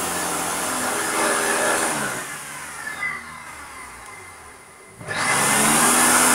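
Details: Vacuum cleaner motor with a rough, engine-like roar that dips then returns, rotational vibration; owner suspects the ball bearing in the rotating ring is dragging or has too much friction, possibly from dust.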